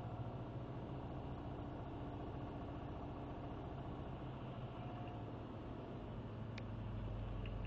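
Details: Subaru WRX cold start idle problem that began recently: revs drift up and down unevenly with faint clicks, throttle blipped to disturb it; cause unknown.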